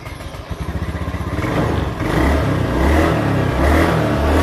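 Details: Honda Beat scooter that only clicked on the starter and would not start with MIL code 52 (CKP sensor), after its wiring was repaired: cranks and catches quickly, then revs smoothly and evenly with no misfire; MIL now off; normal revving.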